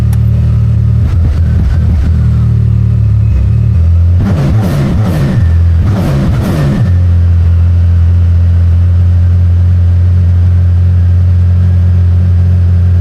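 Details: Can-Am Maverick R with Evolution Powersports flex fuel system, running while 5 gallons of E85 are added to 91 octane (ethanol reading rising from 15% to 80%): steady low drone with a couple of brief blips, no stumble or misfire; runs smooth.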